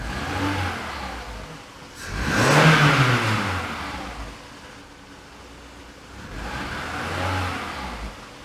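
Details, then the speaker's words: Car with LPG conversion that stalled right after switching from petrol to gas, now running on LPG: two throttle blips, engine climbing and falling back to quiet idle, revs picking up cleanly with no obvious stumble. "Şu anda araba gazda. Şu an gazda, tamam. Gazda araba."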